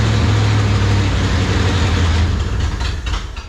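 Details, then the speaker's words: 1970 Ford Torino GT junkyard car, V8 with a mechanical fuel pump, first start in decades, fired right up: deep, even rumble that runs smoothly for a few seconds then fades as it shuts off, sounding healthy; it runs good. "It runs good though. Oh, yeah, the joker fired right up."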